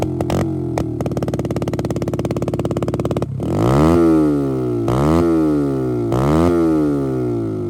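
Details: Motorcycle after a ZSF-to-YBR EFI conversion that has passed its MOT; an even, steady idle thump with no misses or knocks for about three seconds before music covers it. Normal running.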